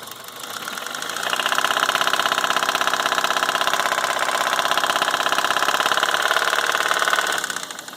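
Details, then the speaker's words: 2003 Toyota Corolla 1.8L 1ZZ, returned two quarts low on oil, reportedly after a 700-mile trip: sharp, steady metallic knock, seemingly from cylinder two, louder when revved; number 1 crank bearing was found spun from oil starvation, piston hitting the head. "sounds like it's coming from the number two cylinder"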